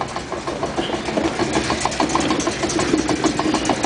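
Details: 1956 Chrysler New Yorker on stands: quick uneven knocking about three per second over a steady engine, drivetrain noise heard at the trunnion and rear axle sides, cause unknown.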